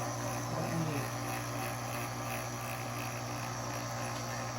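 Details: GE Opal 2.0 nugget ice maker, top open, auger running after replacing stripped nylon gearbox gear: steady, even motor hum with light buzz, no knocking, skipping or grinding; normal auger motor running.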